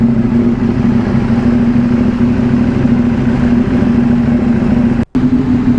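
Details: KTM Duke 790, about two years old, just fitted with a new Crank 1 AGM superbike battery reading 12.4 V; it starts on one touch and settles into a steady, smooth idle with no misses or stumbles. Normal idle.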